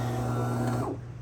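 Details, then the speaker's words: DeLonghi Magnifica S before repair: it powers on but makes no coffee, with two lamps lit together, first suspected as a clogged grinder. A low, steady motor hum strains for under a second and dies without grinding. Testing later found the grinder motor faulty. "if I'm trying to press the button here uh it's starting the process we can clearly hear that it's trying to do something but uh not quite succeeding"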